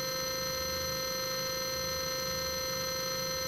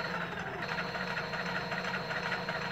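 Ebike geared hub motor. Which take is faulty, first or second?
second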